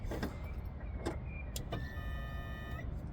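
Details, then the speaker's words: Volvo 240 with K-Jetronic injection, cranking with airflow plate pushed up to force fuel through; thin steady high-pitched scream over cranking rumble for about a second is normal K-Jet injector buzz, though engine won't start. "that screaming sound is the kjet that's the injectors that's how they should sound"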